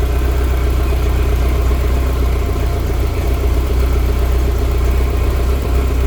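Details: BMW E30 M3 with S14 engine and individual throttle bodies (ITB), idling: lumpy, uneven beat about four pulses a second with occasional stumbles breaking the rhythm; random misfire at idle, cause unknown.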